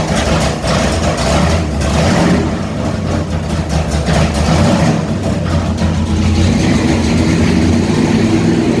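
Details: 451 Mopar big block stroker built for a 73 Dodge Charger, never run correctly, on an engine dyno; deep V8 roar swelling and sagging because the dyno water brake ran out of water; surging from a dry water brake.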